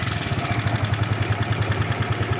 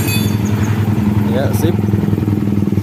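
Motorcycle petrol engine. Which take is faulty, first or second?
first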